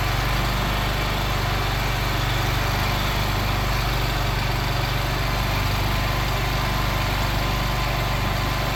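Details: Craftsman Z6400 zero-turn mower after hydro drive belt replacement, revved up with blades engaged: steady, even rev, smooth deep hum, no knocks or misses; runs healthy.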